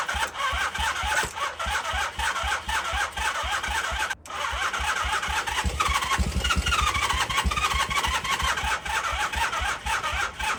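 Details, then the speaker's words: 1978 Honda CB400A Hondamatic that sat outside 10+ years, carburetors refitted, starting fluid used: steady starter churn with a couple of brief catches that never take; cranks but won't start, no fuel in the float bowl. "Well, bikey no starty. That is a bummer."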